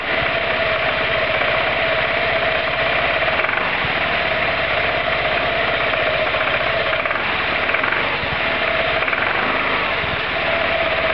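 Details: Roketa MC-54-250B scooter single, 1730 miles, stalling at every stop: rough, uneven revving with chuffing stumble and fluttering firing; intake and exhaust valves had no gap at TDC, fixed by adjusting valves.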